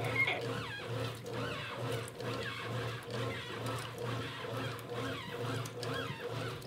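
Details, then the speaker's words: 1993 Brastemp Mondial rotary washing machine after restoration: repeated rising squeaky chirps in time with the agitator over a low motor hum, from a new shaft seal; normal, expected to fade. "normal, com o tempo ela vai parar. Depois que a gente reforma, ela fica com esse barulhinho mesmo."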